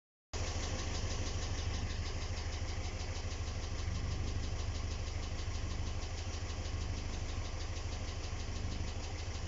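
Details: ZMZ 402 engine, valves adjusted, not misfiring, holds pressure; steady idle with a light, quick metallic ticking about three beats a second riding over it, source unknown; only cylinder head removed and inspected, rest of engine untouched.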